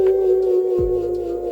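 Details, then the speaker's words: Glion DollyXL electric scooter on walk assist: loud steady mid-pitched hub motor whine with an overtone; very noisy motor. "My least favorite part about it is how loud it is. I'm gonna get it kicked off going here. I'm gonna use the walk assist. Can you hear that? We're not doing anything to the audio. That's how loud it is."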